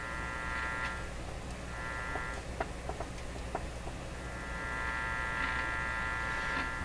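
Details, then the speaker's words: 1947 Stromberg Carlson 561 tube radio at first power-up through a dim-bulb limiter: steady low hum with a higher buzz coming and going; bad hum, apparently not directly from the power supply, source not yet traced. "volume okay there's a wild hum no smoke flames and sparks quick thing hum"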